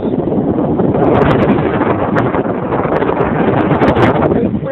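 Loud steady rush of air, even and free of knocks, rattles or scraping; the blower is running healthy at full speed.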